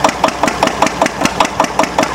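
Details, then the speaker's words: Antique Witte 12 hp single-cylinder diesel genset, 8 kW generator, just cold-started with torch: even strong thumping about five beats a second, running fast before slowing; normal fast idle after cold start, little smoke. "But there you go. You see, it's actually running pretty fast. It's going to slow down."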